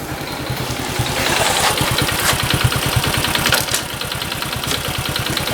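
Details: Honda Cub small single at 65,000 km idling with crisp, regular ticking about three per second over the engine; cause unknown, compression being measured.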